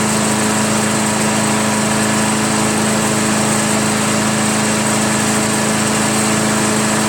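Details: Craftsman/Yard Machines chipper shredder flathead single-cylinder, after head removal, carbon cleaning and sandpaper valve seat lapping (intake valve spun freely): after many pulls, steady even buzz with clean constant pitch, no misses or knocks. Normal idle.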